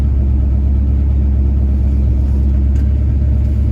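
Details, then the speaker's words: 1966 Pontiac GTO, factory 389 ci 6.4 L V8 (code XE) bored .030 over, Brawler 650 cfm carb, 4-speed manual, 60 psi oil pressure, idling at about 1000 rpm: deep, even, low lopey rumble with no ticks or knocks, smooth normal idle. "I'm here to sell you a great car it idles really really nice and 1000 rpm"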